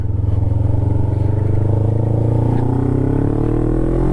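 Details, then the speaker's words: Kawasaki Ninja 500R twin warmed up, accelerating from mid revs; pitch climbs smoothly and evenly with no misses or knocks, healthy sounding bike. "so that just sounds so good such a healthy bike such a healthy sounding bike"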